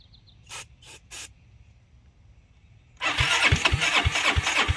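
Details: 2006 Zhejiang Kangdi 250cc kart single-cylinder with big-bore cylinder, first run after rebuild, exhaust just fitted: few seconds quiet, then fires and settles into steady popping idle near three beats a second; normal start and idle.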